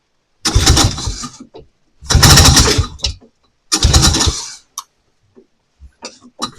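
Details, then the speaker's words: Vintage snowmobile, stored since last spring, first start of season with choke and primer: three short firing bursts dying within a second, then sputters; fuel pump not pumping, fuel line suspected of sucking air. No fuel delivery. "So, it doesn't seem to want to pump anything either."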